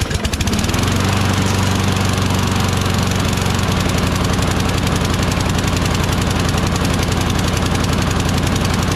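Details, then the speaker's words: Craftsman push mower, Briggs Quantum 6.75 engine, after flywheel brake and kill switch cable replacement: starts fine but chugs unevenly at high speed as if still choking. Owner suspects the carburetor needs attention. "Starts up just fine, but doesn't it seem like it's still choking? You know what I mean?"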